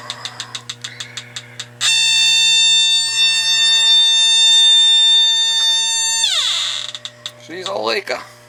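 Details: AC system with a Ruud evaporator coil; a detector checking near the coil, slow regular ticking jumps to a continuous high shriek, then fades back: a bad refrigerant leak at the evaporator coil, which was then replaced with a new coil.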